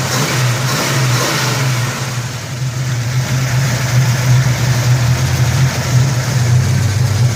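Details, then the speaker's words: 1971 Dodge Super Bee, dual-quad 4-speed, warm after test drive, temperature around 193: V8 revs up cleanly and settles, deep steady exhaust note with no knocks or ticks; motor pretty tight, normal revving. "The motor's pretty tight."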